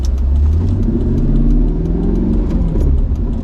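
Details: Mercedes C55 AMG after crankshaft position sensor replacement: deep steady engine drone, revs stay up instead of dropping back; rev hang persists, owner suspects engine programming or emissions behaviour, unsure if present before the car sat.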